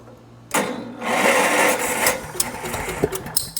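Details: Vintage tractor, fairly cold, only ran about 30 seconds before, choked and throttled up: small single engine catches after a moment and settles into a busy, slightly uneven chatter; normal cold start and running.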